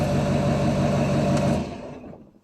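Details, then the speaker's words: Duramax diesel truck after full delete and tune, turbo cleaned, exhaust redone: steady low rumble with clear turbo whistle, revs dropping away smoothly after a gas tap; normal free rev. "can really hear a turbo now so really really sounds great and really really revs great even just tapping the [Music] gas"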